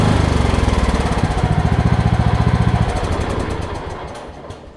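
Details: Craftsman LT2000 lawn tractor, 2003 model year, after replacing a tired drive belt: single-cylinder thump about 220 beats a minute, even and strong, fading as the tractor pulls away; runs and drives normally.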